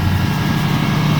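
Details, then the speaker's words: Car with factory engine, finished daily-driver project, gauges still warming up: smooth even low idle with steady pitch, no knocks, misses or ticks; oil pressure good; runs like new; normal idle. "The engine, it runs really nice. And this is the factory motor that's in here."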